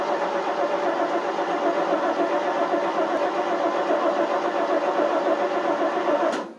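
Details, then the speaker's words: 1988 FMC 6000 with 5-speed, on booster cables, cranked with throttle floored: six seconds of steady starter churning with no firing. Cause suspected, not confirmed; later found no fuel reaching the carburetor, and it ran after starting fluid. "Nope. See how much gas is in it. Yeah, it's got some in there. Probably needs starting fluid, I think. Stupid thing isn't starting."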